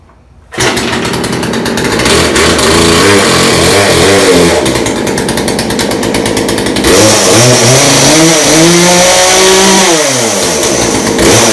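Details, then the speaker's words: Craftsman two-stroke chainsaw, found in the garbage, now working after carburetor low/high idle adjustment; fires at once, revs cleanly several times and drops back without stalling. "But it looks like my garbage Craftsman chainsaw is now working."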